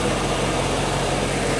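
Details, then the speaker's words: Salt-water-flooded Corvette with OptiSpark distributor, after coolant was bled two or three times with the heater on. It warms up with a steady, even idle rumble, with no knocks, misses or hunting. Normal warm idle. "and everything seems to be good to go. Everything looks nice and factory, guys. She's warming up nicely."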